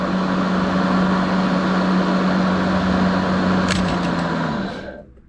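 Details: Kobalt 80V Max battery lawn mower, used 4 years without issues: smooth, even motor hum with steady blade whoosh, no rattles or grinding, then a clean spin-down when released; normal running.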